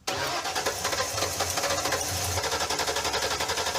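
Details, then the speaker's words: 1979 Pontiac Trans Am, Pontiac 400 V8, sat dead for years, first start by jumping the starter wire: catches straight away into an even, lumpy V8 idle with no knocks or misses, while a faulty fuel line pours gas; runs fine. "Here we go. Alive. Wow. That sounds all right."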